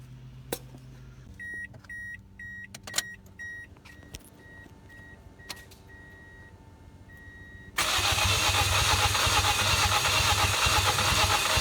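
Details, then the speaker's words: Field-found Toyota Echo Roxy edition, many sensors already changed, fuel pressure gauge rigged up: dash chimes then steady cranking about three beats a second that never catches; cranks but won't start, low fuel pressure suspected. "all right so as you can see we got the fuel pressure rigged up to it now not running yet but uh we pretty much determined after changing many sensors and many other things that might have low fuel pressure"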